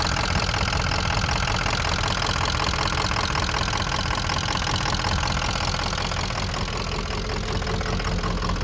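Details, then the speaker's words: 2004 Ford F-350 6.0 Power Stroke turbo diesel running rough with no power, hard start, stalling, random codes; heavy diesel clatter pulsing unevenly about three beats a second, near stalling; fixed by replacing body harness above turbo. "so here's a video of the truck running it's running really crappy really rough and it has no power you can hear it"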